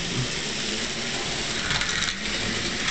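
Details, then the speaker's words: Lionel 602 Seaboard toy train locomotive, old rusty track switches, running in reverse, barely pulls anything: small electric motor whir with gritty scraping grind through the gear train; cause not yet found. "but there she goes oh you can hear it kind of grinding a bit"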